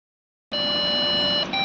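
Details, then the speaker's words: Lenovo branded desktop PC at power-on: one steady high-pitched beep with no display, a memory beep code blamed on faulty RAM. "Hello दोस्तों, क्या आपके पास भी Lenovo का branded PC है जिसे power on करने पर यह कुछ इस तरह से बीप साउंड शो करता है?"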